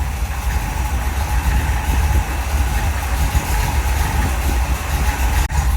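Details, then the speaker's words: 1975 Chevrolet C10 V8, spare engine from a second engine set: deep, even burble at steady idle with no knocks or misses; power steering fluid was low; engine sounds good, normal idle. "Yeah. But yeah, it sounds good."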